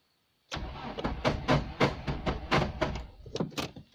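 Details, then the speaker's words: Nissan Bluebird after head gasket replacement, first start attempt on a jump pack: sluggish, uneven starter churning about three or four compressions a second, nearly catching but never running; owner suspects the jump pack isn't supplying enough volts. "my jump pack is not supplying quite enough volts with this car I don't think"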